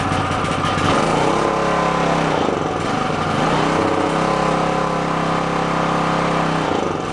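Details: Onan K450 portable generator, yard-sale unit that sat a long time, first start after reassembly, back panel off, on choke before mixture and run speed set: uneven hunting beat, wavering pitch, not settling while warming.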